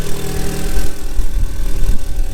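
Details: Stolen-recovered Audi A3 S3 replica, cold start: uneven low rumble with faint rattly chatter at idle, little smoke; the noise source is unknown.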